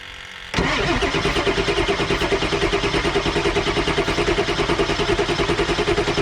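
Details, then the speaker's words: 7.3 Powerstroke diesel after turbo rebuild, new injectors, glow plugs and wiring: starter cranks steadily about three pulses a second for several seconds but never fires; came close, batteries might die, jumper cables next. "Okay, we got super close right there, but we're afraid the batteries might die, so we're gonna pull the truck up, get some juice, some of the jumper cables."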